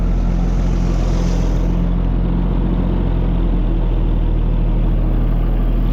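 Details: Tractor started with choke: steady, even low rumble at idle with oil pressure up, no knocks, misses or rattles; runs smoothly.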